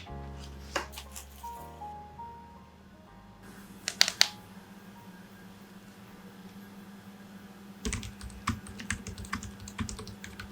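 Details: Modded Magic-Refiner MK16 keyboard (silicone dampener, PCB foam, lubed and filmed switches, lubed and padded stabs) typing with soft, muted keystrokes in quick bursts, no rattle or ping, over light music.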